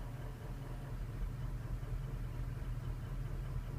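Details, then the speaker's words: Ford 6.0 diesel with faulty ICP sensor: low idle rises and falls rapidly about twice a second with no throttle; false high-pressure reading makes the IPR dump pressure, causing idle surge and a false P0299 code. "it's doing that because the pressures that it's the reading it's getting is false so what I'm getting at is it thinks it has higher pressure"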